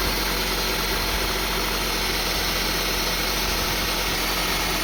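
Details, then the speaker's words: 2002 Honda CR-V 2.4 L with rough idle and hunting RPM, running with a sensor unplugged (check engine light on): raised, steady high idle, smooth with no RPM swings. "See, now the engine is running, but in high RPM. But it's running smooth. But at least RPM is not up and down after we remove this one."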